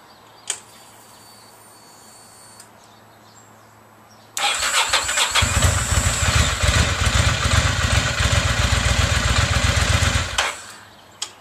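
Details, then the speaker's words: 2004 Ducati Monster on its stock battery, a little over 6 years old and likely original, before a Shorai battery swap; short crank of a couple turns, then it catches at once and settles into a steady, even idle; quick, healthy start. "So you can see it starts up pretty quick, just took a couple cranks."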